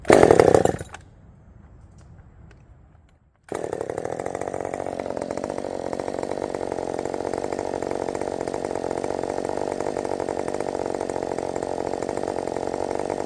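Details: Redmax 5000 chainsaw with 16-in bar, steel RS chain, 8-pin sprocket, after open muffler mod, warm restart test: brief burst, quiet, then fires at once and settles into steady even idle; restarts cleanly.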